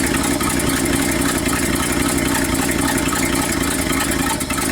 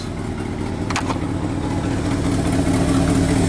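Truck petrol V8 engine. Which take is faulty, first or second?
first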